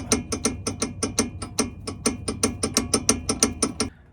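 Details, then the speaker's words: 2004 Toyota Highlander, driver-side sway bar link: sharp metallic clacks when the link is moved, from free play at its top and bottom bolts. The link needs replacing. "basically there is a bolt at the top and the bottom on the sway bar links and both have slight free play on both sides of the suede links and that's where the loudest clanking noise is coming from so they're going to have to be replaced"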